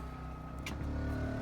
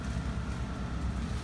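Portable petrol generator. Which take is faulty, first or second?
first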